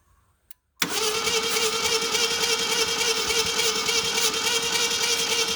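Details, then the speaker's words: 1978 Ford Fairmont that sat about 35 years, starter wired straight to the battery: the engine spins quick and perfectly even with no compression pulses. No compression on any cylinder, although the valves are moving. "no sir we have no compression at all uh so that's not good"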